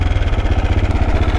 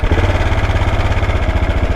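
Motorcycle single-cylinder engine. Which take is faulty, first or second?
first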